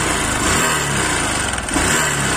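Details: Bajaj Discover 100 motorcycle, around a 2010-11 model, started and idling at a service centre: a steady fast single-cylinder patter over background hiss with no knocking or grinding; the engine sounds fine.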